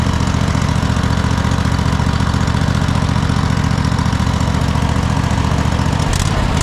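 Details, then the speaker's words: Cub Cadet GT1554 V-twin mower, first run after sitting 10 years following a rollover, burning off residual oil as blue smoke: even, steady low thrum at constant speed with no knocks or hunting; normal running. "It seems to be running pretty solid, but what I would do is just let it let it run. It hasn't been ran in a while."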